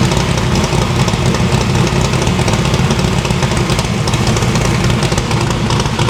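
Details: No-prep drag-racing stick-shift V8 after new PAC valve spring install: previously run on four plugs, now all eight plug wires on, headers still cold on one side. Strong, even idle burble with crisp pulses. Valve springs seem okay; distributor index/rotor button fix expected to cure the misfire.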